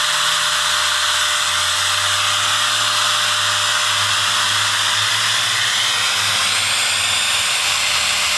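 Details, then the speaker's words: Eureka Airspeed One vacuum run without filter, motor encased in dust: steady piercing high whine with hissy air rush and faint wavering hum; owner suspects armature scored by dust, motor may not last. "Dust filter's around $20 for this vacuum. And with the motor sucking that much dust, I don't know how long it's going to last."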